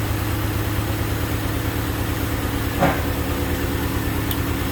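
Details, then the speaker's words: 1988 Honda Civic Wagon after a crank-no-start, codes 10 and 14 (intake air temp sensor, idle air control valve), fixed by swapping their wires: even, steady idle with a constant low hum, no hunting or surging; normal idle. "right she's running pretty good it's actually pretty smooth"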